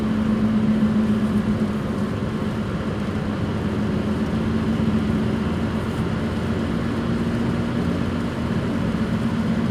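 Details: 2005 Suzuki Swift at higher speed: steady low roar with droning hum while cruising, from bad front right and rear right wheel bearings.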